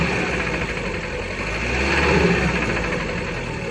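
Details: Fiat Bravo 2 1.4 T-Jet 150 HP, 215,000 km, after maintenance: rough, uneven knocking at roughly three per second over a steady idle hum; cause of the engine knock unclear.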